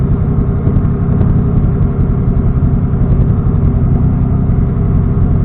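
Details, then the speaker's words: Engine on a standalone ECU being tuned in TunerStudio, still warming up with warm-up enrichment at 4%: low, even idle rumble, steady with no stumble, miss or hunting; clean idle, with the reading around 11–12 called good for this car. "Yeah, that's not too bad at all. That's pretty good for this car."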